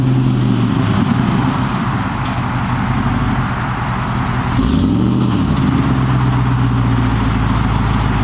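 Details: 2008 Chevrolet Silverado 6.0L L76 V8 with American Racing headers, high-flow catted Y-pipe and Borla XR-1 muffler: deep steady idle, then one quick blip rising and falling cleanly back to a smooth idle; healthy engine.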